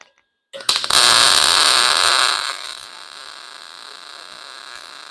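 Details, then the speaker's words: Lincoln 140 Pro MIG welder, .035 wire, heat and wire speed turned down: brief loud crackling arc sputters and dies unevenly; wire hanging up, liner may need blowing out. "yeah see she's hanging up somewhere so what we're going to do is um we're going to actually take a look at the the liner uh liner night might need to be blown out"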